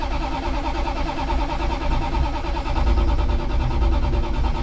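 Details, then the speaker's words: 1965 Plymouth Satellite after sitting a while, accelerator pumped repeatedly, no choke: heavy, steady starter churning for seconds without catching. Long cranking, no start; owner suspects flooding, and it starts after two more pumps. "I don't have jumper cables, probably flooded it. 2 more."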